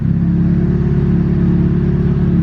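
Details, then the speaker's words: Turbo Mazda Miata with Speedy EFI ECU, started after unplugging and replugging the ECU from the laptop so the fuel pump primed longer: low, even rumble with a steady beat; clean start and smooth idle with no backfire. "and then it starts like perfectly there was no backfire that time or anything"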